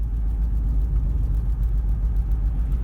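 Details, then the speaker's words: Low, pulsing rumble and vibration through the steering wheel while driving, changing when braking; left front brake caliper sticking after 10 minutes of driving, that wheel extremely hot while another is cold, rotor scored. "you know it's got a sticky caliper so that's what the vibration is the rumble noises"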